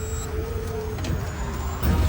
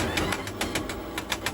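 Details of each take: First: Electric four-wheel vehicle, about a year old, test-driven after reassembly; it had made a noise near the motor and differential, with bearings or gears suspected, and was refilled with engine oil instead of gear oil. Low road rumble, no grinding or whine: drive is normal. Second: Electric four-wheel vehicle about a year old, jacked up, wheel spinning unloaded: regular knock about seven times a second over a whirring drive, same on both sides; suspected damaged motor or differential bearing or gear, not confirmed.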